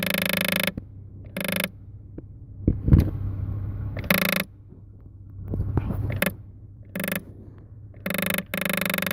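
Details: 2008 Toyota Sienna climate control solenoid (HVAC mode door actuator) that directs airflow to the vents makes irregular plastic clicking and grinding over a low hum. Its internal electrical contacts that sense vent position degrade over time.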